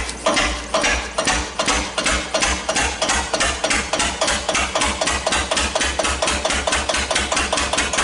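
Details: 1941 Witte CD 12 hp single-cylinder diesel 8000 W generator set, just started after long storage with oil down the intake, still warming up: even thumps about four per second, idling slightly high; owner suspects fuel pumps sucking air.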